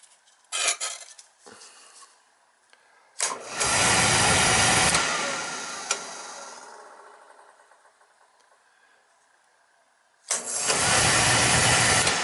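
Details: Beckett oil burner tripping out on safety: it clicks, lights with a roar, fades out after about two seconds, then relights. Faulty primary control is shutting it down; the fix is replacing the control.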